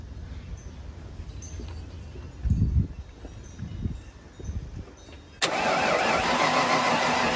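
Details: 1995 Ford Bronco parked for years, cranked with a fuel pressure gauge showing about 40 psi: slow, uneven cranking bursts for a few seconds, engine never catches; cranks but won't start.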